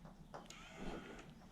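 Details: Toyota Surf/Hilux electric 4x4 transfer case engagement actuator (VF1A/VF2A), after strip and service: soft clicks, then a short smooth motor whirr rising briefly in pitch and stopping cleanly, a healthy actuator engaging four-wheel drive.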